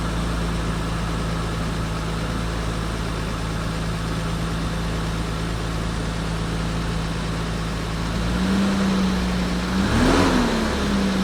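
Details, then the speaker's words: 1989 Toyota Land Cruiser FJ62 with 3FE engine, first start after desmog/EGR delete; smooth, even idle with a steady low rumble and a clean throttle blip, engine feels peppier and breathes better than before, normal idle. "feels a little more peppy already just hitting the uh the gas pedal here. I can kind of hear the the air moving whereas before I couldn't, you know, it was just felt like it was stopped up or something. But now it feels like it can breathe."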